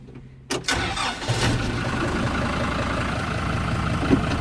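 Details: Kubota M120 diesel tractor after fire repair (new wiring harness, two new computers, throttle cable, hydraulic and vent hoses): turns over briefly, fires quickly, settles into a steady even idle without knocks or misses; healthy start.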